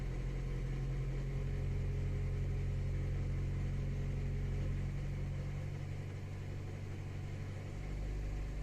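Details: 2014–2015 Honda Civic 9th gen with CVT, in Drive on the brakes with light throttle at 1300–1500 rpm, cold: soft, fairly even rattle about three per second over a low hum from a worn serpentine belt at the tensioner; goes away once warm.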